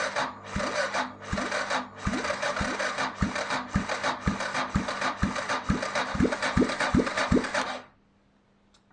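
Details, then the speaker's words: 1993 Yamaha XT 600 E (3TB) that sat about 12 years, no exhaust headers, fuel primed: slow, laboured cranking at two to three heavy compression thumps a second, never fires, then silence; starter too weak, fuel leaked out the exhaust. "that didn't happen the starter was not strong enough to crank over the fuel and you probably can't can see that the fuel leaked out the exhaust"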